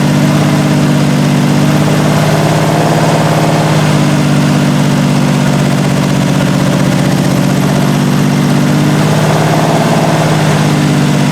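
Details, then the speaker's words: 1968 Triumph TR250 first start after body on chassis, idle screws backed out two and a half turns: loud uneven surging lumpy idle; carb linkages loose and timing need adjustment. "so all right so it runs and obviously needs a lot of adjustment as far as the linkages to the carbs are concerned as far as the timing is concerned so we'll work on that but at least it starts"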